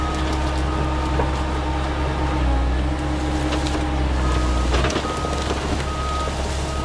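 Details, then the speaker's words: Mecalac 6MCR excavator backing up: steady diesel drone with a few sharp loud pops as the loose, unadjusted track nearly pops off the sprockets and idler; owner links this to the cab side window shattering. "And you're about to hear a loud pop is where you can hear the track nearly pop off. Now, I didn't know this, but my track had not been adjusted in a little bit."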